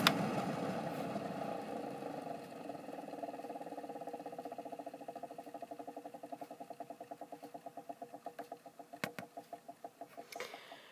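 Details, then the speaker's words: Small blower fan with ionizer running on low speed: the motor hum carries a rhythmic rubbing pulse of about three per second from bad motor bearings. "just low and this is where you hear the bad bearings"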